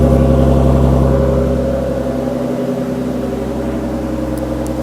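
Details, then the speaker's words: Loud, deep burble at idle on cold start with a raspy low drone and no muffling, some belt squeal. "so we'll actually see how it sounds it's actually gonna be yeah pretty much slowly cold start yeah it's pretty loud I don't know if you can hear me but [Music] pretty loud"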